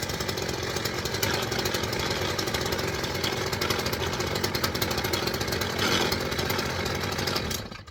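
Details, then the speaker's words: Stihl FS 410 C petrol strimmer: loud rattly two-stroke buzz at idle for seven seconds while the head keeps turning, because the clutch springs are broken. They were only recently replaced; the fix is a new clutch spring. "What you seen there was the strummer was the head was turning as it was idling, which tells me the clutch springs broke."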